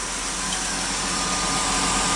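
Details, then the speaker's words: 2002 Chrysler Sebring 2.7 V6 idling after alternator replacement: steady, even idle hum with no earlier whine, no battery light, lights stable, voltage good; normal idle, charging side healthy. "And in my previous videos, you would hear that weird whining sound, which I don't hear."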